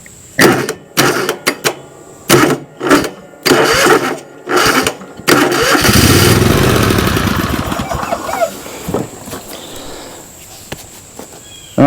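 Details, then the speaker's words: John Deere LX188 riding mower after starter replacement: repeated short clunky bursts about every half second, then one longer crank that dies; starter engaging intermittently, owner suspects sticking starter or switch, cause not confirmed. "Yeah say click we're starting but we're having uh like issues see hear it clicking the starter sticking pretty much"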